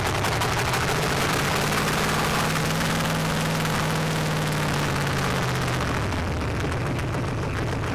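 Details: Junkyard 1965 383 V8 after 30+ years sitting, new distributor, wet black plugs cleaned: loud unmuffled thumping about four pulses a second, slightly ragged but running steadily; runs acceptably now.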